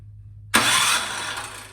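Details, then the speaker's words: Craftsman snowblower with quiet-technology muffler, sat all summer: on choke, primed, electric start button cranks with plug removed; spark confirmed, light starter whir with no compression beats or firing. Cranks but won't start, fuel problem in carburetor. "And I can see spark. So based on that test step, I know it's something with getting gas into the top of the motor. Assuming it's carburetor related."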